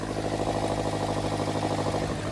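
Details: Daihatsu Mira Walkthrough at steady idle, also leaking coolant: quick, even puffing chatter with a thin squeal; owner hopes swapping the manifold stops the squeal.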